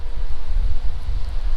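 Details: 6.0 LSA supercharged V8 swapped into an OBS 1500 truck, during tuning while heat-cycling, coolant at 185 after earlier surging as it warmed: deep, steady rumble at idle with no knocks, misses or surging; idles smooth and healthy.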